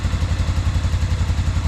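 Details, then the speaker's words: 1997 Arctic Cat Bearcat 454 ATV, sat 1.5 years, after carburetor repair, choked by hand: barely cranked before firing, then quick even thumping about ten beats a second, no misses or knocks; healthy idle. "Barely cranked it before it fired up. I'll let it idle for a second, make sure it runs okay,"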